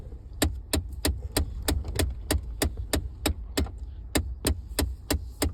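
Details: 2014 Ford F-150: sharp, crisp ticking about three per second from behind the dashboard over a quiet cab hum; source unidentified.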